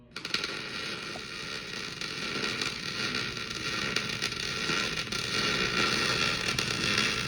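Even frying-bacon sizzle that holds steady for several seconds without sharp pops; the arc settings and stickout look right now.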